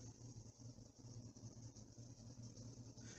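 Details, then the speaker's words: 4th-gen Ram 1500 5.7L Hemi with a P0301 code: an uneven, stumbling V8 idle from a cylinder 1 misfire that occurs only at idle, not under load. The cylinder 1 fuel injector was found dirty and removed. "you can see cylinder ones definitely misfiring it's only at idle comes back to idle it will start to misfire again"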